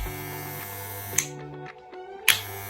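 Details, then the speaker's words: Moser 1400 Classic 1400-0278 vibratory hair clipper at switch-on: two sharp clicks over a low buzz as the armature strikes the electromagnet core, a normal design feature, not a fault. "характерне клацання пов'язане зі звуковим ефектом від удару коромисла об сердечник електромагніту це є особливістю конструкції машинок даного типу і це не являється браком чи поломкою"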